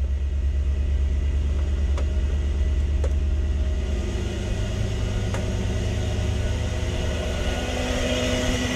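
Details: Toyota 1UZ-FE V8 swapped into a Surf/4Runner, running on a rough base map after fixing the fuel pump bridge: deep, even V8 burble at steady idle, pitch lifting cleanly when revved, no misses or knocks; normal idle and revving.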